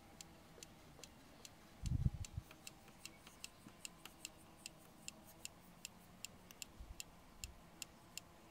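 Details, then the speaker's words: BMW seatbelt anchor gives sharp, regular clicks about two a second, caused by a slack spring washer moving inside the anchor held by a T47 Torx bolt. "okay the seat belt noise is actually coming from this inside here this a little washer that is actually making a noise"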